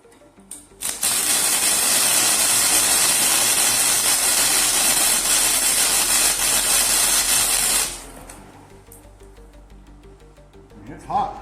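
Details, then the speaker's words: Lincoln 90 IFC flux-core welder, .035 wire, voltage raised to about six: about seven seconds of harsh sizzling fast-crackling arc, hotter and hissier than a settled bead; voltage set too high. "It is it is blazing. So I'm going to crank it down."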